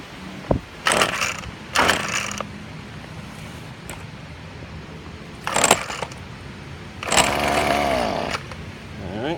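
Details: Husqvarna 125L trimmer after replacing a cracked fuel line grommet and line, primed and choked: a few short cranking bursts, catches for about a second, revs briefly and dies; starts then stalls, carburettor possibly also at fault.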